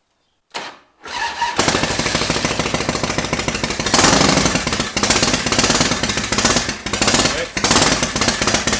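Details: 1991 Harley-Davidson Softail Springer Evo bobber, cold start on a temporary fuel tank: short crank catches after a second, then a loud, fast, even V-twin beat settles and holds steady; starts and runs cleanly.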